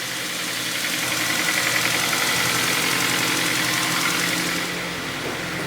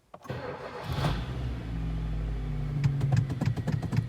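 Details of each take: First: Kia Ceed 1.4 G4FA petrol, 184,000 km, seven years old, idling with a dull uneven knock; burns oil, owner suspects worn rod bearings and crankshaft needing grinding, plus piston knock; engine rebuilt with 0.5 overbore. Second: Kia Ceed 1.4 G4FA, 184,000 km and seven years old, first start after a rebuild with cylinders bored 0.5 over for oil consumption and piston knock: a short crank, a clean catch, then an even idle with no knocking; slight coupling tapping is considered normal.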